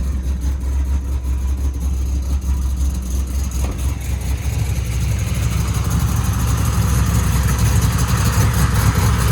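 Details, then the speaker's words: Ford Mustang Bullitt V8 idling during a data log, after overdue spark plug replacement: deep even burble with no misses, ticks or knocks, much healthier than with the old plugs; normal idle. "so basically the car sounds much better than it did with the old spark plugs so definitely sounds much much healthier"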